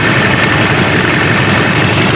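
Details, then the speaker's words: Daihatsu-engined Taft GT diesel after piston overhaul (complaint: limping at start, smoke, high fuel use), idling with throttle blips: steady, even clatter, no stumble; smoke clears when revved, none from oil filler; normal. "Nah, ini digas hilang, saat digas hilang. Nah, jadi normal kan."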